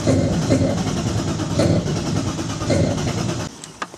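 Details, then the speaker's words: BMW E36 320i turbo drift car with 182,000 km, first start attempt: the starter whirs in a rhythmic churn for about three seconds, never catches and stops; it cranks but won't start because the tank is empty. "Mais je crois qu'on n'a plus d'essence. Putain."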